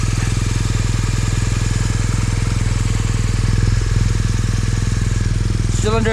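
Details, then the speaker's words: Mz motorcycle engine after a field repair of a cracked cylinder head, with no gas or oil leaks: a steady, even idle thump at about 200 beats a minute with no knocks or ticks; problem fixed. "sounds good nothing's knocking weird i say problem fix and we ride"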